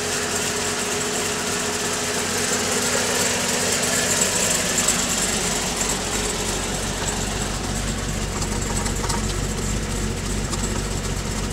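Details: Pontiac G8 V8 with TSP 225/230 114LSA .618-lift cam, DOD delete, TVS1900 Magnacharger with 2.8 pulley, stock manifolds and catback, tuned to 650 rpm idle, started cold with fans off: deep loping, slightly uneven beat near three per second. Healthy cammed idle.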